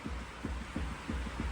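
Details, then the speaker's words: Ifor Williams trailer wheel rocked in and out by hand at top of tyre: soft dull knocks about three a second; worn wheel bearing with excessive play, to be replaced with a new bearing. "I've found on the Eiffel Williams, we've got a wheel bearing gone, or excessive play. So if you put your hand at the top and then rock the tyre and wheel in and out, so away from me and back,"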